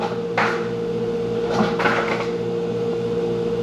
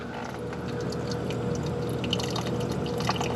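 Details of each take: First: Hoshizaki 150 undercounter ice machine getting ready for harvest: steady compressor hum with clear tone and a few sharp clattering drops of ice; normal ice harvest. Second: Hoshizaki 150 undercounter ice machine at start of fill cycle: irregular trickling and pouring of slow incoming water with no pump or compressor hum, draining straight down the drain so the sump cannot fill; fill water running to drain.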